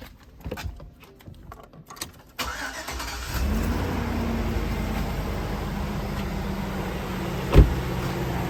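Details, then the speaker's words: 2004 GMC Yukon after replacing the cylinder 3 fuel injector for rough idle, hesitation and misfires: short crank, fast start, settles into a steady even idle with no stumble or ticking, no leaks; engine running healthy. "nice fast start good idol no sign of leaks all set"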